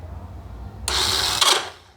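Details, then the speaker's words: Honda XRE 300 motorcycle pressing the electric start: a harsh, short grinding rasp with no catch or firing, and it will not start. The starter one-way clutch is slipping; the engine is disassembled to fix it. Starter clutch slipping. "Então tá dando aí um barulho muito feio e não tá dando partida na motocicleta."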